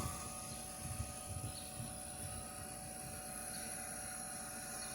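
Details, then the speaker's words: Red Bull refrigerator that would not start, running with the thermostat jumpered out to simulate it: low steady hum with even fan whir and no clicking; compressor and fans run normally, gas charge is fine, and the thermostat is at fault. "y ahí está trabajando y el compresor y está trabajando también lo que viene siendo los abanicos este abanico está trabajando el compresor"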